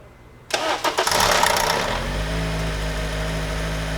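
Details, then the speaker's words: 2008 Honda Accord, about 180,000 miles, towed in after stalling and not restarting: brief crank, then it catches within a second and settles into a steady, even idle. It runs only briefly to confirm the diagnosis, not a repair. "got my buddy Harry in the car he's going to start it up if it starts he's not going to let it run for long"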